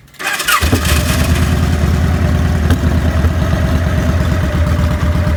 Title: Rough Idle & Stall- 2000 Victory V92sc